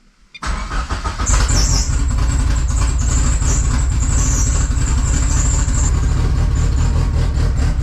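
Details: 2G GSX on FuelTech ECU after reducing post-start enrichment and raising target idle, battery 14.5 V, fuel pressure slightly low: fires straight up, flares briefly and settles into a steady even idle with a faint high whistle; normal idle.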